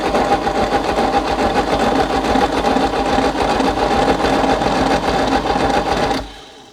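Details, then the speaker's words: 1964 Chevy Biscayne parked 30+ years behind a barn, first crank test on ignition: steady rhythmic cranking about two beats a second that never fires; no spark, no continuity through points, engine also sounds unhealthy inside. "Well, two things I notice. One, it probably doesn't have spark. And two, that engine does not sound healthy inside."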